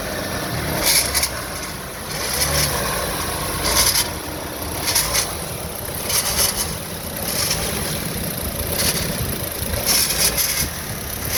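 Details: Ecotec petrol engine running: harsh metallic rattling bursts roughly every second from a failed turbocharger.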